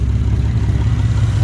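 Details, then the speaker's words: Nissan 370Z after Z1 Motorsports intake install, at idle: rapid low chuffing pulses under the engine note from a leaking exhaust flex pipe, with exhaust fumes noticed; owner plans a new Y-pipe. "I found out my my exhaust leak it is my flex pipe the flex pipe right here is leaking that's why you hear that chopping noise and the carbon monoxide so"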